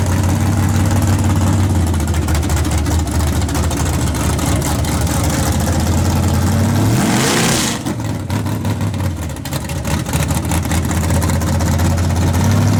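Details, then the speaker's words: Chevrolet S10 in snow, after new plug wires and spark plugs, initial timing unknown: engine revs with ragged popping crackle through exhaust, misfiring under throttle; cause unknown, owner suspects voltage, weak battery, short or grounding. "still doing it I don't know what it is new to stripper new plug wires and your spark plugs and I have no idea"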